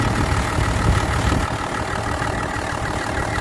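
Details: Worn first-gen Dodge 12-valve Cummins diesel with low compression; idle clatter with an uneven, loping beat that bounces more than it should; rough idle from heavy blow-by past worn rings.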